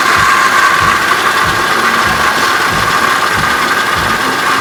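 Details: 2004 Cadillac CTS with a steady, high, constant-pitch whine over a rough idle, apparently from a belt-driven part in the engine bay.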